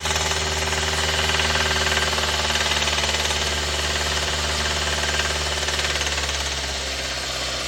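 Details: 2014 Hyundai Sonata, code P1326 knock sensor performance, flashing check-engine light, power loss accelerating from stops and on hills, persisting after sensor work: quick, fairly regular knock about four per second over idle; owner suspects the engine is going bad.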